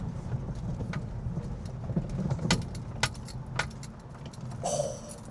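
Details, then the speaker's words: Very high-mileage Mk5 VW Golf GTI rolling slowly over uneven ground on a hot day: sharp, irregular metallic knocking over road rumble; owner suspects top mounts, ball joints or track rod ends, not confirmed. "It knocks so bad. I don't know whether that's top mounts, ball joints, track rod ends. Don't know what it is, but it is knocking badly."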